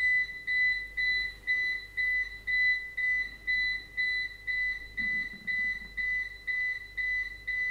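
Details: APC Back-UPS BX750MI running on battery after about 26 minutes: rapid, evenly spaced loud beeps, about two per second, with faster-blinking LED, warning the battery is nearly exhausted.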